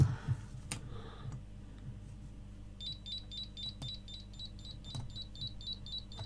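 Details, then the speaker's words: GHD hair straightener PCB on the bench, previously dead, now powered up: crisp high beep repeating fast and evenly, about three a second, over low bench hum; control board beeping, cause unknown. "It is bleeping. Hopefully you can hear it."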